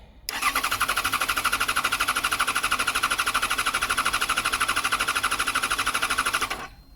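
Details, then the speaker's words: 2014 Yamaha XJ6S Diversion motorcycle, under 12k miles, previously tampered wiring repaired; cranks briskly and evenly for about six seconds but never catches; fuel pump heard, tank sounds empty, suspected fuel supply problem. "I mean, it was turning over and it's turning over well, yeah, this is definitely a fuel supply problem."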